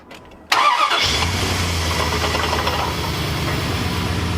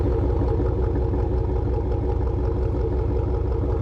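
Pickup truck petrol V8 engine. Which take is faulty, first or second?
first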